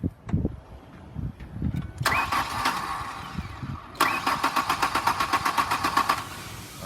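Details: 2002 Ford Ranger with a bad fuel pump: starter churns in two cranking bursts at about four beats a second and the engine is slow to catch; hard starting from fuel delivery problem.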